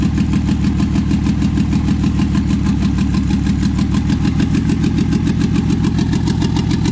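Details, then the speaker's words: Toyota 2JZ engine swapped into 4Runner, first start: fast idle about 1900 rpm, uneven lumpy beat; misfire, roughly two cylinders down, later traced to injector adapter connectors not making full contact. "for sure got a mire it's down like two cylinders"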